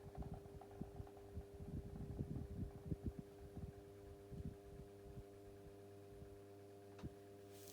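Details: 1990s Pifco 12-inch desk fan, oscillation stopped: quiet constant low hum with a faint buzz under some handling noise; motor running smoothly on low speed.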